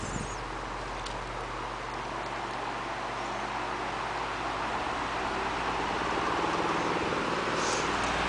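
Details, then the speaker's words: Newer (1992) Lakewood HV-18 fan on medium speed after motor oiling: even motor hum swelling with a steady rhythmic buzz and rattle as the fan vibrates and moves around from out-of-balance blades. "Now it starts to move around as it vibrates so much from the blades being out of balance."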